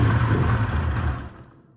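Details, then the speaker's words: 1995 Polaris RXL 650 triple snowmobile, sat outside about 8 years and previously locked up, pull-started: it roars about a second then dies, running only on starting spray. Owner suspects a fuel system problem. "So I had it running off of spray, and I was wondering why the fuel system wasn't working."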